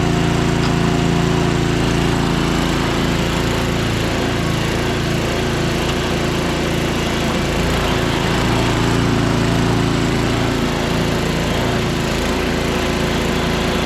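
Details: Small single-cylinder engine running after priming with fuel shutoff opened: steady even beat at constant speed, no misses or surging; running cleanly.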